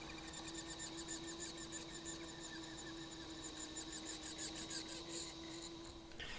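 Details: Accurascale Class 60 model locomotive, body off, squeaking out of the box: a quiet steady high squeak with faint ticking that tracks motor RPM. It comes from the motor-to-bogie drive, which is dry and needs oil the owner couldn't reach.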